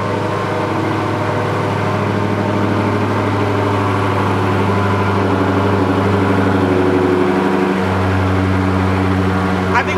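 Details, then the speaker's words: Dodge Hellcat with 25k miles, sat about two weeks and wouldn't start, jump-started on the third try with a portable jump starter: deep, steady V8 burble settling into an even idle, no misses or knocks; running normally. "I think that's the first time the car ever started like that, and I wasn't excited."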